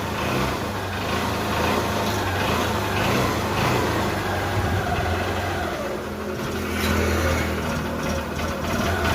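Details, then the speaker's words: Motorcycle after engine bore failure at 16,000 km, repaired and with silencer cleaned, kick-started and revved: even, smooth exhaust note rising cleanly with no knocks or rattles; the engine is running healthy after the repair. "బండి మొత్తం complete అయిపోయింది ఒకసారి sound వినండి engine [ప్రశంస] sound బండి అంటే చాలా అంటే చాలా స్మూత్ అయిపోయింది."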